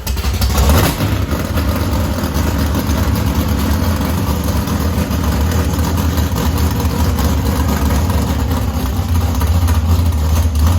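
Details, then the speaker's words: Chevrolet S10 bracket drag truck with a V8, first start after sitting almost two years, with transmission and driveline reinstalled: strong, steady rumble with a lumpy cam lope and no mechanical clatter. It runs well, as before. "got the engine running it runs really good just like it did"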